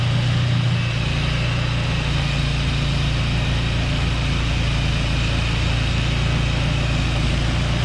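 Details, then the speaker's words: Two-stage snowblower engine, unstarted for two years, runs steady and even with no hesitation or surging after fresh gas was added. "So while this thing started up and runs great, right? No hesitation on the engine. I'm very surprised."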